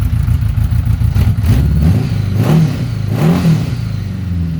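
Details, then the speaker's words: 1982 Honda Gold Wing Aspencade, cold, first start with new exhaust without crossover: low slow idle with deep even burble, two clean rev blips rising and falling smoothly; normal cold idle and revving. "[Music] that's a lot better she is cold so she's idle and low [Music]"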